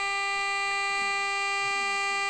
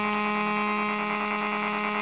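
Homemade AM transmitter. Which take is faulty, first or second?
second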